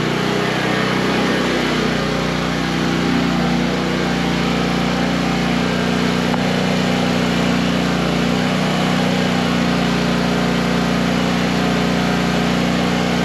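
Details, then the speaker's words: Coleman Powermate PM800 generator, Kawasaki 4-stroke (about 78cc), rated 600 watts. After tightening the carb and adding fresh gas, with the choke off and a light plugged in, it drones at constant speed with no hunting and runs good. "So, yeah, runs good."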